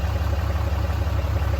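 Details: 2008 Dodge Ram 2500 6.7L Cummins turbo diesel after oil and fuel filter change, fuel system primed: smooth, regular diesel clatter at steady low idle, no stumbling or surging; runs fine.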